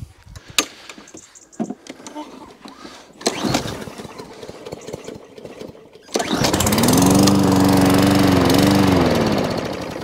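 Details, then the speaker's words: Lawn mower with Champion RC12YC plug, fuel poured down the head before starting; after clatter it catches and settles into a steady, even drone with no misses, normal running. "another one that fires up super happy with that"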